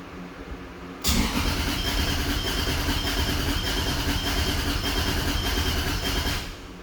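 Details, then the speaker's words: Turbo car after a new wiring harness and turbo manifold install: the starter spins the engine steadily for about five seconds but it never fires. Fuel was confirmed but there was no spark; the coil connectors were found wired power-signal-ground instead of power-ground-signal. "so he just tried starting it and didn't have any start so I know we were getting fuel"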